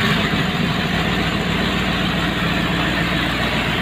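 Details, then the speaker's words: Fully rebuilt, rebalanced P76 4.4 V8 on a test stand with twin Zenith Stromberg CD carbs, Harley mufflers, near operating temperature, 12 V, untuned: steady, even idle, deep burble, no knocks or misses. Normal idle. "12 volts the vacuum gauge is not connected properly but it's not running too badly here we go"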